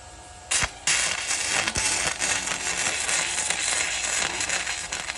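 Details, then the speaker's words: Arccaptain MIG 145P flux-core welder used by a beginner holding the gun too far from the work. An irregular crackling arc with stutters and a brief dropout; the wire is pushing back and stubbing from too much stick-out. "The wire was pushing back because you were too far away."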